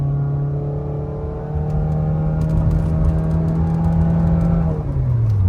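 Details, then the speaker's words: Nissan Altima with 240,000-some miles, check engine light on, just fixed after a cooked battery terminal fuse block caused no-start and shipping mode, 95 degrees out: smooth engine note climbing at about 50% throttle, easing off without surging; pulls cleanly. "She still moves. That wasn't me flooring it, of course. It's like 50% throttle, but she still moves."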